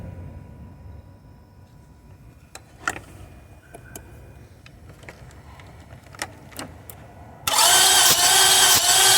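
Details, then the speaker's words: 2004 Lexus RX 330, towed in with a no-start: quiet clicks, then the starter spins the engine evenly with no firing. Spark, injector pulse and fuel pressure are confirmed; it cranks but won't start, with a damaged head gasket or warped head suspected. "all right so it is cracking okay but it's not starting"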